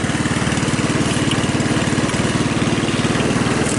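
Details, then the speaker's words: Hammerhead off-road go-kart with a 150cc GY6 single-cylinder engine, started without throttle, no smoke. Fast, steady putter of about three pulses a second without stumbling; normal idle. Drive bearings are separately destroyed. "So you guys could hear it starts, it runs, right? No smoke, though I didn't check the oil, which is not genius on my part."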